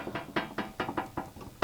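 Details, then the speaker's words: Garage door nylon roller fitted with a brand-new roller sleeve, replacing a 2-year-old one, turns quietly with soft, dull, very muffled clicks at about four to five a second. "And then let me put this back on. Very, very muffled"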